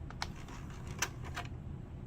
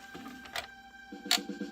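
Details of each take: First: Retro console disc drive after the tray/laser grinding was fixed by cleaning the switch on the motor control board: low steady drive hum with a few light clicks and no grinding, running normally. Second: Retro console disc drive playing a disc after repair: a quick rough ratcheting grind with sharp clicks from the laser sled, possibly from parts bent when pieces snapped off.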